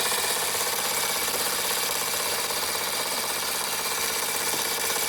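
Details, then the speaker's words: Fleischmann 135/2 steam engine running after repairs, burner trouble sorted: fast, soft chuffs at about 160 a minute over a steady hiss; it runs evenly and healthy. "Oh, sounds like a jake brake, doesn't it? A pretty good thing."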